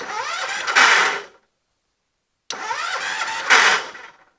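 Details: John Deere 214 garden tractor after moving a misplaced purple wire on the solenoid: two one-second cranks, starter spins engine but it never catches.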